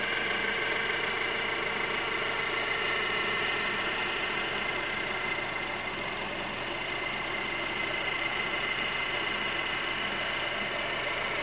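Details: 2011 Honda CR-V idling with a fine, regular ticking hiss about three times a second over the engine. It occurs mostly when cold, shortly after starting, and when stopped with the A/C on; cause unclear.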